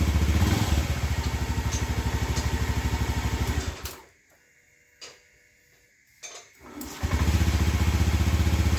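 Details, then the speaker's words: Honda motorcycle with faulty throttle position sensor (TPS): idle thumps about three beats a second, rises and falls, sags and dies on its own, then restarts; fine at full throttle; unstable idle from faulty TPS. "tapi biasanya di bagian stasioner atau Langsa motor itu ngelantur sobat sering mati sendiri eh lalu tugasnya naik turun sobat yah"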